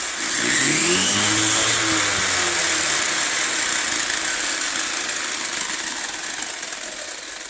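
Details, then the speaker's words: 1/14 RLAARLO/CROBOLL monster truck converted to Hobbypower 3650 12T 3300KV brushless motor, run on 3S: high whine sweeps up to steady shrill pitch then winds down smoothly, louder than on 2S, healthy. "But all right, now it's going to sound different when we turn it on. It's a lot louder. You can you can hear those chirps. This is on 3S."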